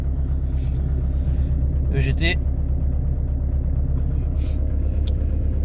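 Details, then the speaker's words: Peugeot 205 TD with a new AMC XUD9TE cylinder head, cold start after reassembly and bleeding: lift pump and glow plugs heard, then low, even diesel clatter at cold idle with no suspicious noise; normal. "donc là ce qu'on entend c'est la pompe de gavage donc préchauffage de tour aucun bruit suspect nickel"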